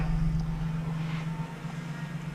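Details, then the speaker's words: 2018 Ford Transit 250 3.7 petrol V6 idling smoothly after cracked intake manifold repair and cooling system pressure test; steady low hum, no knocks or hiss; customer's earlier noise not replicated, no engine lights. "No engine lights. The customer complained about noise that went away. We haven't replicated the noise or gotten to the source of a noise."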